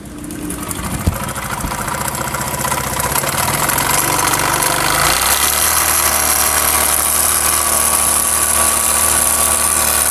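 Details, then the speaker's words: Honda CD70 single at idle before teardown: a rough, uneven "dug dug" knock under the engine note, traced to the connecting rod, which is checked for play, with its two bearings to be changed. "उसके बाद दोस्तों यह है connecting rod जिसकी ज्यादा आवाज थी जिसकी ज्यादा साउंड था डग डग का इसका साउंड था"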